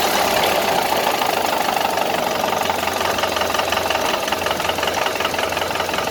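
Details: A 1931 Ford Model A pickup four-cylinder idling with a dull, uneven knock running through it; troubleshooting has just started and the cause is not yet found.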